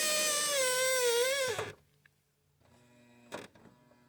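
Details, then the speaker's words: Toyota Highlander power liftgate closing with a loud wavering high squeal, then a thud; the strut squeaks only when closing, not opening. If left unfixed it may damage the strut; the fix is silicone spray, not petroleum-based lubricant. "It has an electronic lift gate, and it makes a greasy noise when I close it. I don't have any noise when you open it."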